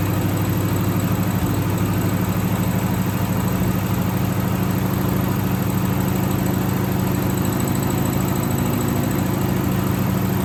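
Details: 1963 AMC Rambler wagon 287 V8, not started in a while, idling: thin continuous high squeal over slow steady idle, first mistaken for a belt; left-bank rocker shaft oil-starved after its bolts were mixed up during valve stem seal job.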